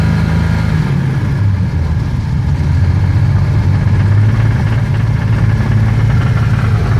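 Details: BMW M30 inline-six petrol engine held steady at about 2,500 rpm: a rapid, dense rattling knock over its low drone, cause unknown.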